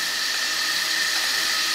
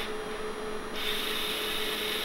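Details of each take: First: Restored Bendix MG-1 Central Air Data Computer, analog mechanical computer from early jet fighters, powered on the bench with pressure tubes connected; steady high-pitched whir of small gears spinning smoothly, no knocks, gear train running normally. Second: Pressure-input servo in restored Bendix MG-1 Central Air Data Computer, moved too far so its friction clutch slips; steady dry rasping rub with faint thin tone, no engagement, continuous scrubbing of slipping clutch.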